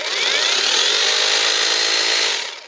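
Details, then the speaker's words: Parkside Performance X20V Team cordless jigsaw in automatic mode, which is thought to speed up by itself when forced, after teardown for a motor that stopped and sometimes jammed. A high even whine climbs slightly under load, then winds down smoothly with no rubbing; healthy. "Alors le dernier là, c'est le mode automatique. Ça, je pense que quand ça force, ça accélère tout seul."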